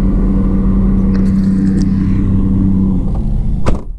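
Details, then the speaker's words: Auction car, likely a Nissan Altima, power-braking in reverse: deep, uneven chugging under load with a stumbling beat, no rise in revs, then cuts off; lacks power, service engine light flashing; dead cylinder suspected. "i'm stepping on the gas power breaking it in reverse i don't have enough power to do nothing now i got the service engine light flashing"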